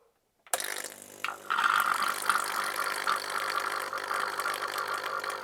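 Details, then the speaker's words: Coffee machine under repair, tank sensor tricked with a magnet, pump tested after possible airlock; click then steady buzzing rattle of a vibratory pump pushing water out; normal pump operation. "okay well that looks like it's working fine that's spitting water out"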